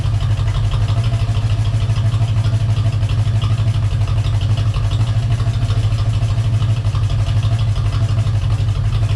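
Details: V8 Corvette after a Hypertech ECM chip install: a steady idle with a light, quick ticking over the exhaust note that keeps time with engine speed. It sounds like a noisy lifter.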